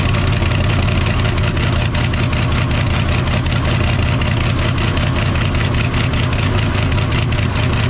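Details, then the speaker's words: 1968 Chevy C10 small-block V8, seized and sitting since 1996, freed and started with starting spray; steady even idle with faint regular tick and smoke from the exhaust, running again after 29 years. "Look at that. She's idling. Got some smoke rolling out back there."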